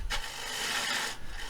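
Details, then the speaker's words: Lathe turning a natural-edge cedar bowl from half a log, gouge cutting down the inside wall with a very light touch; a steady, light hissing cut with no chatter, throwing fine shavings, a clean cut. "just let the tool cut to the bottom and you see they got really nice fine shavings which generally means you got a very clean"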